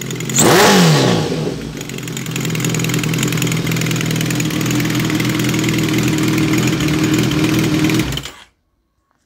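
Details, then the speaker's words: 2005 Kawasaki ZRX 1200R, first start after rebuild with Yoshimura TMR-MJN flatslide carbs: quick blip then strong even high rev held several seconds before cutoff; slight smoke only from freshly repainted exhaust; healthy, crisp. "sounds great very pleased with that"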